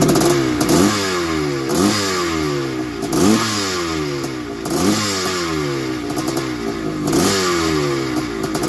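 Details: 1981 Suzuki RM465 two-stroke barn find with aftermarket boost bottle, first start after fuel down the plug: revs blip up and down with a loose metallic rattle and heavy smoke; owner suspects top end wear and blown main/crank seal, unconfirmed.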